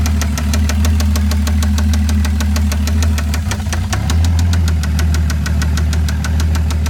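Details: Toyota 7M-GTE engine idling with sharp, regular light ticks about five per second, not rattly; absent when first started, then comes and goes randomly; owner doubts rod knock, source unknown.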